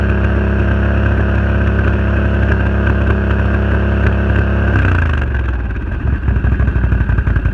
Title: Misfire renegade 1000